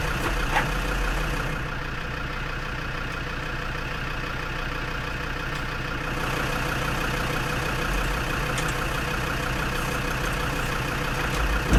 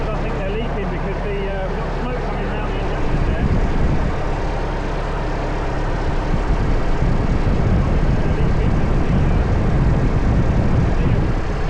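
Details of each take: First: Perkins P4 diesel in a Lansing Bagnall Model A tug, cold start with heat applied and a Land Rover hooked up for extra starter juice: slow, labored cranking about four turns a second, never catches; cranking too slow to start. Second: Lansing Bagnall Model A tug with Perkins P4 diesel, just started, no coolant in it: deep, even diesel chug at steady idle with no knocks or misses; running sweet.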